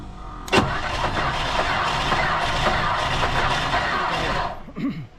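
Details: 1959 Ford Thunderbird 352 V8 parked 33 years, started with fuel fed into the carburetor, coil on and battery charger attached. A sharp catch, then about four seconds of ragged roar before it dies. Brief run after long storage.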